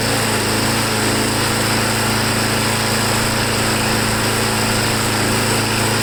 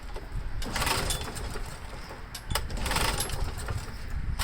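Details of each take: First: Briggs Quantum small engine after a carb clean, an air filter backing modification and a stiff primer bulb found working: a steady, even high-pitched drone with no surging or stumbling; normal running. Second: Briggs & Stratton Quantum lawnmower engine, run out of gas a year ago: rough pull-cord rasps with sputters, never catches; owner suspects bad leftover gas and a dirty carburetor needing cleaning.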